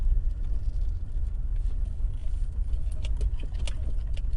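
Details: Toyota Tacoma 4x4 pickup, light metallic rattles and jingles over low road rumble while driving, coming from rear passenger side area; nothing found underneath; bed was removed for body repair about 2 years ago, owner unsure if bed has come loose.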